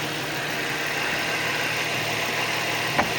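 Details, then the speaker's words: Nissan 350Z engine with knocking from the belt drive, run with the other belt bypassing the suspect pulley or power steering pump: steady, even idle with no knocks, squeals or vibrations; remaining pulleys and A/C compressor fine. "So the engine runs smooth, no noises, no vibrations, which means these ones are the corporate"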